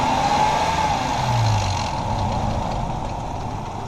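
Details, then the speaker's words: 2006 Ford Explorer 4.0L SOHC V6 idling warm with light throttle, replacement engine: loose busy clatter over the hum, the Ford 4.0 death rattle. "All right, so as you can hear, she's hurting. That's what Ford 4.0 Death Rattle sounds like."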